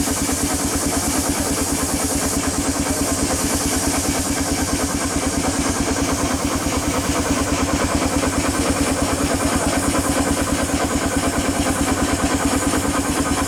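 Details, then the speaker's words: 1895 Bates Corliss steam engine (14" bore x 36" stroke, 10 ft 9000 lb flywheel) on first runs after 80+ years idle; even, regular beat about 140 per minute, all knocking now gone, only steam leaks remain to fix. "all right we got all the noises out of it no more knocking all we have is leaks we gotta fix quite a few of them"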